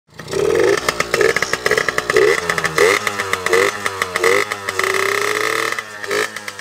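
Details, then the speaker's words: Suzuki PV two-stroke moped on its old Chinese 16 mm carburettor, before it is swapped for a Dellorto PHBG 16: an uneven, sputtering rattle that surges and drops in bursts instead of holding a steady note; running rough. "niin kuin kuulette tästä PV:n äänestä, niin ei kuulosta kauhean hyvältä. Et joo, ihan perus kakstahti mopo vähän rötäilee, röpöttää,"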